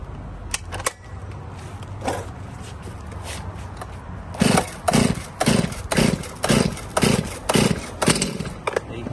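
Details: Stihl chainsaw cold start with full choke and full throttle set: series of sharp cord pulls about twice a second, then a short pop as the engine first fires on full choke; normal cold start behaviour.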